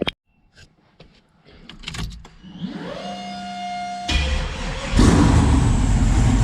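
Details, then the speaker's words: Built 408 stroker LS in an S10, later restart: quiet, then catches and settles into a steady even snappy run with no knocks or ticks; good oil pressure, engine sounds quiet and healthy; O2 issue and transmission-line oil leak unresolved. "everything sounds good it sounds quiet engine"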